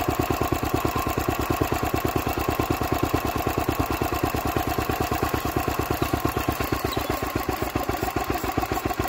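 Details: Old Lister D stationary engine, first run in 40 years after belt starting from a Petter W1H; fast, steady chuffing beat with slightly uneven pulses and clatter; rough running.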